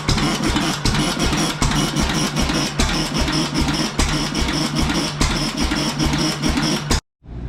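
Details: Late-1920s 7.5 hp Fairbanks Morse Z hit-and-miss engine, borrowed magneto, rebuilt oiler: heavy firing pops at uneven roughly one-second gaps while the flywheel coasts; healthy, properly governed running.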